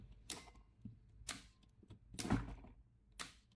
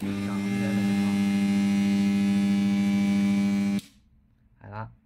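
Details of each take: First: AC contactor with a 220 V coil, energized directly to test it: four crisp single clicks about a second apart, clean snaps with no hum or chatter; contactor pulls in properly. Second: Energized AC contactor with a coil that checks normal: a loud, steady low hum for about four seconds, then it cuts out. Likely poor contact between the moving and fixed magnetic cores.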